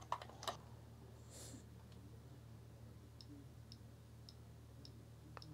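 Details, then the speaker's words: Amiga 500 with the even and odd CIA chips swapped, tested with a Gotek drive. A few sharp clicks, then soft ticks about every half second over a low hum as it loads normally, suggesting the original CIA is likely bad. "that's loading there we go so there's a good chance that this CIA is bad which is what was over here before"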